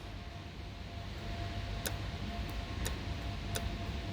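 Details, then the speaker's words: 2008 Mercedes CL63 with 93k km, solenoid bench-tested with 5 volts drawing about 1.1 amps: sharp, distinct clicks each time power is applied. The solenoid actuates normally. "you can hear the solenoid. I'm giving 5 volts by the way."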